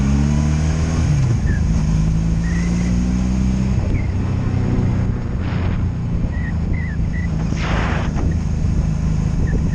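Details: 2002 Honda Magna VF750C, warmed up, ridden in gear on its first non-stop test run after it previously died when put in gear: steady pull with no misses, stumbles, ignition cuts or bucking; normal, healthy running.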